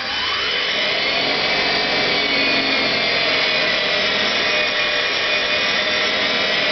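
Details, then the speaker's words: NetGain WarP 9 DC motor, newly rebuilt with new National T300 brushes being seated, Soliton1 idle raised from 1000 to 2500 rpm: hissy whir spikes to about 2700 rpm, then settles and hunts around 2430-2450 rpm. "so it spiked up to about 2700 rpm and now it's kind of settled out at uh what 2450 100 430 somewhere in there and again it's still hunting a bit based on those values but it's certainly spinning a lot quicker now than it was before"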